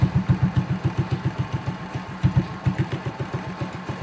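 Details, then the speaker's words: 2008 Honda RSX motorbike, all-original engine: soft, even putter at a fairly low idle, no ticking or knocking; quiet as an electric bike, healthy idle. "đời máy cái máy này nó y như xe điện"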